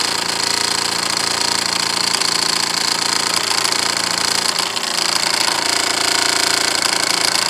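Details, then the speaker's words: Wilesco D6 model steam engine: quick chuffing about three to four beats a second under a steady shrill whistle; blowing the whistle bleeds a lot of boiler pressure and slows the engine. "here how much the B down lost a lot of pressure when we do that low pressure from running that whistle"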